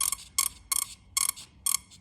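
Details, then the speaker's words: Swamp Thing ignition test: sharp, evenly spaced crackling snaps about two and a half per second, sounds the same as the first; it works, cause unclear; normal ignition spark. "Now is it going to make a noise yeah it doesn't it does it sound no it sounds the same it sounds the"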